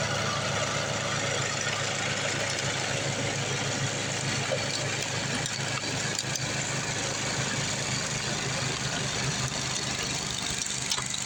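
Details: Craftsman 826 track-drive snowblower with a new 31-inch auger belt fitted after the old one broke: steady single-cylinder drone at even throttle with a busy hiss of thrown snow, engine holding speed. Auger working normally under load.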